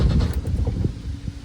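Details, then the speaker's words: Scooter-engined car cranking with fuel pump priming: low uneven cranking thumps, weak attempts to catch, never runs; loose ground wire found. "it sounds like it's trying to fire we'll have to uh have to investigate and figure that out"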